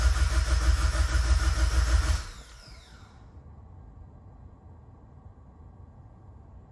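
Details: Evo X with a brand-new engine, first start attempt after over 2 years, fuel pump relay pulled and the oil pressure gauge reading nothing: about two seconds of steady, even cranking with no catching or odd knocks, then it stops. Starter and engine turn over healthily.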